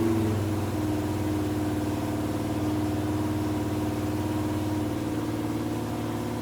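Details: 1951 Chevrolet 1-ton truck, Chevy 350 small block, first start after fitting a new MSD distributor, timing not yet dialed in: the idle lopes and stumbles unevenly; a rough, untuned idle.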